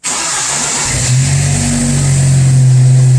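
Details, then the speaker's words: Muffler repair completed: new Walker exhaust pipes with Total Flow muffler, loose leaking clamps replaced with simple clamps, large pipe mismatch welded. Engine started and settles into a smooth, steady, low exhaust drone with no rattles, ticking or leak puffs; normal exhaust note. "Okay, we got the muffler all installed. We're gonna crank it up, see what it sounds like."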